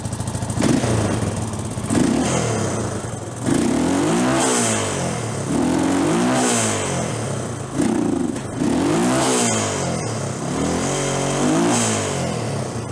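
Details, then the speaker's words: Hard-ridden Honda TRX350TM Rancher ATV, engine previously opened with non-OEM silicone, smokes a lot: repeated blips with revs climbing unevenly and falling back with a rough, stumbling note; not carbureting well. "She's not carbureting real well."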